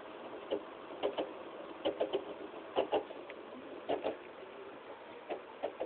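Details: 160GB PS3 Slim under two weeks old, playing Modern Warfare 3 mid-match: quiet, irregular clicks in small clusters, about one a second, over a low hum. It is silent once the disc is ejected; the owner suspects the Blu-ray drive or the disc, which is unconfirmed.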